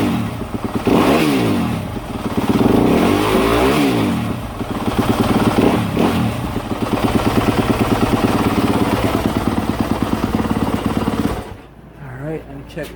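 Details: 2018-2025 Yamaha YZ250F/YZ450F after replacing the throttle position sensor: crisp single-cylinder bark rising and falling cleanly through throttle blips, settling to steady idle; runs healthy, TPS fixed the issue.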